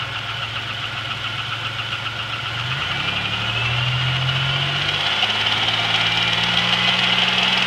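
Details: GM 3800 V6 with 237,000 miles idling with a steady light tick about four a second that holds as revs rise slightly; started the night before, owner suspects a collapsed lifter, unconfirmed.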